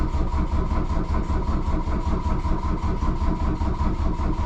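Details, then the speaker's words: 1982 VW Rabbit diesel cranked after the glow plug light goes out, cold start lever pushed in; steady, heavy starter churn of about two beats a second, the engine never catching; a fuel prime problem is suspected, with injector lines to be bled next. "happens I think we're probably still fighting a little bit of a prime issue"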